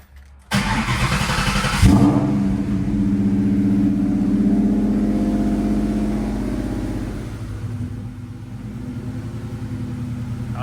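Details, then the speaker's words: 1998 Mustang Cobra after installing OEM belt tensioner to cure a belt squeak (WD40 also used), very loud exhaust: engine fires, flares and settles to an even idle with no chirp or squeal; squeak fixed. "but as you could hear we ain't got no squeak at all which is great"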